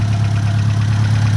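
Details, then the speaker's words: Ford Mk1 Escort panel van engine, not rebuilt, idling after a PCV valve replacement: low, steady, even beat with no knocking, hardly any blow-by, no longer chugging like a steam train as before, a normal idle. "the engine can't be in too bad a condition. So I'm happy with that. Before it was chugging like a steam train. Now it's not."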